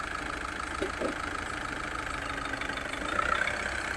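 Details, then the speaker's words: VW Vento 1.6 L TDI diesel car, after repair for low pickup complaint: smooth, steady diesel running while moving forward under light load, the earlier tak-tak-tak knocking sound when moving is gone; normal running. "பாருங்க ஸ்மூத்தா இருக்கு முன்னாடி டக டக டக டகன்னு இருக்கும்"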